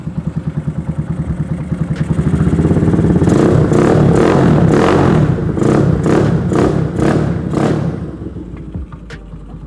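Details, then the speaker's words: Fully rebuilt motorcycle engine with custom capsule exhaust, electric start: cranks with an even chug, catches and revs cleanly to a deep steady exhaust note, then settles smoothly; normal start and rev. "nah mesin dari angal modified itu reel total ya jadi halus kali electric start aman"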